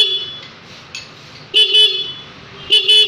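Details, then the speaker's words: Yamaha Smartkey scooter smart lock answer-back buzzer, tested with the FOB switched on (open mode): two sharp, high double chirps about a second apart; buzzer working normally. "Thì các bạn chỉ cần đơn giản như này, các bạn mở cái FOB này ở chế độ on là chế độ mở này. Ok chưa? Còi kêu."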